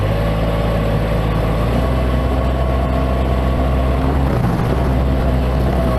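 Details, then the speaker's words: Bobcat MT85 mini loader after belt tensioner replacement, steady deep engine drone working with a full bucket and no squeal or chirp; the new tensioner fixed the load-only squeak. "That's a full bucket. So replacing that tensioner completely fixed that squeaking."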